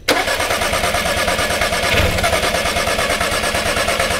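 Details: VW Passat no-start (no spark, no communication, no injector pulse), cranking during spark check: even quick chugging crank that never fires; only occasional very weak spark, later traced to bad sensor ground.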